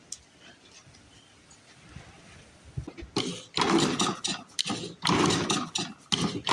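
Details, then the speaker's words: Flooded 1930s Briggs and Stratton Model Y engine, about 90 years old and in rough shape, possibly throttle not open: quiet, then repeated uneven cranking bursts and pops that never catch; turns over but won't start. "as you can see it sucks it certainly does suck I think they're flooded I think I flooded"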